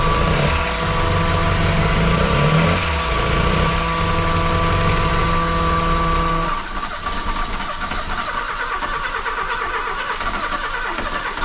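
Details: VW Golf II carburettor petrol engine right after carburettor rebuild and first restart: smooth steady low hum then settles lower without stumbling; white smoke, manifold leaking, owner thinks normal; normal idle.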